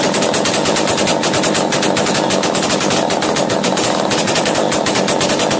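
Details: Chainsaw racing after starting, following carburettor screw tightening during a starting-problem repair: harsh, fast two-stroke buzz holding high revs with no throttle applied; carburettor idle screw set too high, to be backed off.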